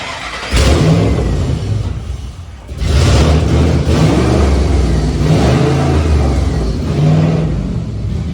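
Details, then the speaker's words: Spec Iron Mustang race car rebuild, run after keys reprogrammed for the security system: engine catches then revs unevenly, rumble surging and sagging; runs rough, owner suspects the fuel pump, not confirmed. "I did already hear it fire up but you got to still do it for the YouTubes doesn't run well I think it might be the fuel pump but we'll we'll see"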